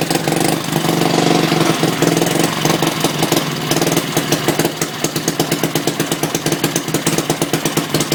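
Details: Antique 1959-ish Briggs & Stratton 2HP after a complete rebuild, wrong plug, no filter or pipe. Uneven, lumpy chuffing settles into quick, fairly steady single-cylinder firing; still a bit rough, owner says it needs carb tuning.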